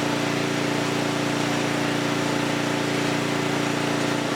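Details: Huskee rear-tine rototiller abandoned by previous owner, after recoil repair, carb and fuel tank cleaning, running hot before oil change: small single-cylinder runs at a steady, even pace with constant tone, no misses or knocks; engine is good, normal running.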